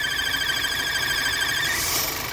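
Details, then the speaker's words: VW Tiguan 2.0 TSI with the check-engine light on and P0300 misfire codes, at idle. A high, wavering whistle over the idle stops when the cap is opened and returns when closed. Torn diaphragm in the original valve causing a vacuum leak; valve to be replaced. "e tchau diafragma galera ele fura o diafragma aqui né É original ainda peça original e acaba fazendo esse essas 2 Doutora né"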